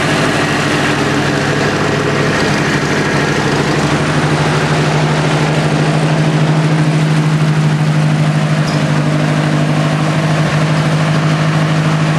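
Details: 1964 Ford 4000 tractor, cold and not cranked for days, new carburetor on a little choke: steady low even idle with firm constant pitch, no knocks or misses; normal cold idle.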